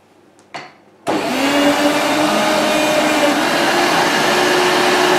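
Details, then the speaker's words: Volta F1 vacuum cleaner with bag saver; motor spins up to a steady rushing roar with a faint whine on top, worse after long disuse; worn motor bearings, which are non-serviceable and the motor can't be disassembled. "So yes, I did make that sound bearing noise, and those bearings are not serviceable, and you even can't take apart the motor, so that's too bad."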